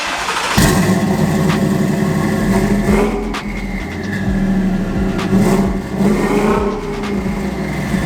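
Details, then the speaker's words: Twin-turbo Shelby F150 first started after a custom exhaust with muffler: loud lumpy idle with sharp puffing ticks on each pulse and short revs. Exhaust leaks, with all turbos found loose. "covered that we've got exhaust leaks down here so previously the truck hasn't been loud enough for me to hear that"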